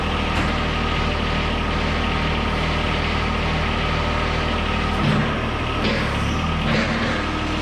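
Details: 2013 John Deere 1023E tractor, 154 hours, 21.5 hp Yanmar three-cylinder diesel, run after an oil change to check for leaks: even, low diesel idle with a steady beat, no knocking or hunting; idling healthy.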